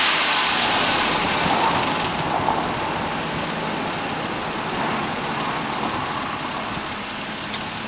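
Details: Mazda 6 after removing clogged catalytic converters and fitting new MSDS headers, running 1000-1500 rpm: light, fast metallic rattle over the exhaust note; low-rpm engine rattle/knock, cause not pinned down.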